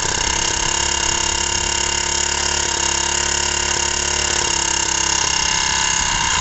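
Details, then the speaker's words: Honda G100 generator engine with two broken piston rings, worn oil control ring, chunked piston and badly scored bore, running with next to no compression: rough rattling metallic clatter over a thin weak note; heavy piston slap. "well look at that I wouldn't say there was compression there but she ran oh my God what a noise that was a lot of piston slop"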